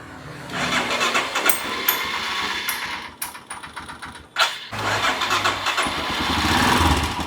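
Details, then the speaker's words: Royal Enfield Himalayan single, sat about six months, fuel pump stuck, starting on the electric starter: brief crank, then it fires and settles into a steady, normal running beat. "വണ്ടി start ആയി നല്ല sound ഉണ്ട് റോക്രാറാമോ ടൈമിം chain ഒക്കെ പോയപോലത്തെ നല്ല sound ഉണ്ട്"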